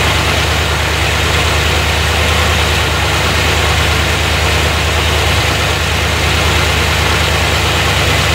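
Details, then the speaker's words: 1990 Corvette C4 V8 first start after head gasket repair, reworked heads, valves adjusted, new fuel pump; timing not yet set, lots of smoke: steady even low rumble, no miss or stumble; all cylinders firing, normal idle. "But she starts up really good. Sounds like it's hitting on all cylinders, which is good. The way I adjusted the valves, I mean, they sound right. She started right up."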